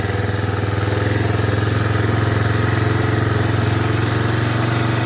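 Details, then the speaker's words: 1985 Honda Big Red 250ES that sat long and hasn't started in a while finally catches after long cranking, with a weak battery. Steady but rough, slightly uneven single-cylinder thumping, smoking heavily, on partial choke because it likes to die. "Finally goes. I'll call this long start. Smoking quite a bit. Choke on a little bit because this thing likes to die."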